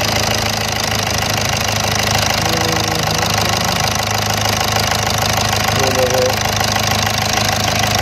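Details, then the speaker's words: Volkswagen Vento 1.6 TDI diesel at cold start, first start of the morning, after wiring loom replacement: idles smoothly with light, steady clatter and no stumbles; normal idle, though turbo shows excessive play. "आप देख सकते cold start है, अभी सुबह से start नहीं थी गाड़ी, कोल्ड स्टार्ट में भी एकदम परफेक्ट है।"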